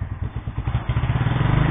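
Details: Yamaha SR single that broke down at -15°C, revved at full throttle: ragged uneven beats with sharp pops, misfiring and backfiring. Owner suspects a blockage in the fuel supply; cause not confirmed.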